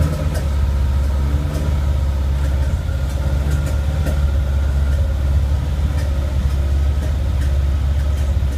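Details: Lancia Stratos full-race Guy Croft 2.0L 8V engine, previously bench tested, first start after pre-oiling with oil pressure shown: deep, steady exhaust drone with an even beat, no knocks or misses; running cleanly.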